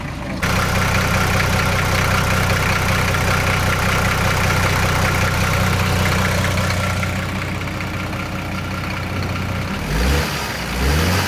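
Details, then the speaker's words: Esarco 8x8 truck's old VM indirect-injection diesel, started with a fresh battery and jump pack after sitting 25 years: steady, even idle clatter at about four beats a second, no misfires or hunting. Normal idle. "so although the truck started and ran amazingly well actually considering it's been sat for 25 years um just with a fresh battery really"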